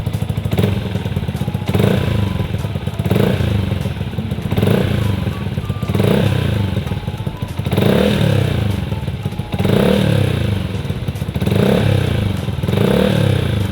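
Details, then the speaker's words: Yamaha R15 V2 motorcycle just after an oil change to Motul 5100 Ester: short clean throttle blips with no clatter; the owner finds the engine quite smooth, so normal revving. "Oke, secara garis besar, dari yang saya dengar, ini cukup lancar, teman-teman. Padahal aku baru saja mengubahnya."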